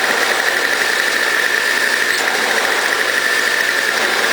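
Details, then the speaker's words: Toro CCR2000 single-stage snow blower, 4.5 hp two-stroke, after cleaning: steady, even high-pitched buzz with no missing, surging or knocking while warming up. It had old gas backed up into the cylinder. Normal running. "so as you can hear it's running great um the one it was smoking smell like really really old gas"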